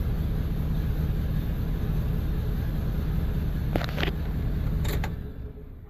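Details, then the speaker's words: 2002 Chevy 1500 with P0300 and no power: lumpy, loping idle unchanged when cylinders 1 and 7 are cut out, so those two are the problem cylinders not firing. "I don't feel any change so that was one in seven are two problem cylinders"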